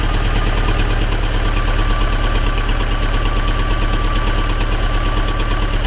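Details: T-40AM tractor diesel idling in about -14°C after a month standing, started with the manual throttle pushed fully open; hard regular knock about twice a second over the idle, internal engine knock, source still unknown.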